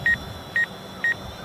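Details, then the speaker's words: DJI Phantom 4 Pro flown toward a sign: quick paired high beeps repeating about twice a second as the front obstacle sensor detects it and the drone brakes; front obstacle sensor warning. "yep there here's the front sensor and it has stopped breaking now return stick to midpoint"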